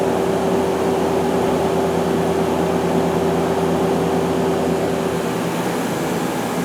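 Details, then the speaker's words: 2001 Okuma LB200MW turning and milling center sub spindle run at 1,000 then 2,000 RPM: steady, even hum with fixed tone; bearings all good, normal spindle bearing run. "the bearings are all good you can hear them"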